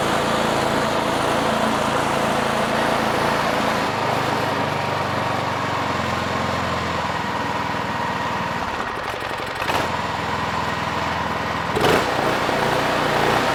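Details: Craftsman 26-inch two-stage snow thrower with a Quiet Technology 270-QU engine that had sat for years, pull-started after debris was cleared from the carburetor. The single-cylinder engine holds a steady, even, fast beat with no misses or surging: running normally.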